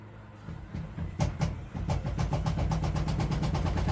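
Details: Miele washing machine in spin: it starts quietly, then a deep rumble with regular thumps builds to about three per second as the drum speeds up, with heavy shaking. Possible causes are shock absorbers, springs or transport locks, unconfirmed.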